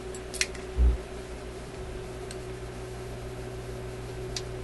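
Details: Zenith Y825 vacuum tube AM/FM radio: a steady low mains hum with handling clicks after a tube is reinserted with the set running; the source is not yet found.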